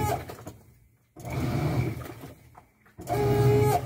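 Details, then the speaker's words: Washing machine making strange noises; shock absorbers already checked, not at the cup: bursts of creaky, tonal squeaking as the tub moves from a dry suspension pivot, which stopped after applying lubricant. "ya le revisamos amortiguadores porque pensamos que era por la parte de acá donde sientra el amortiguador y no es en la copa"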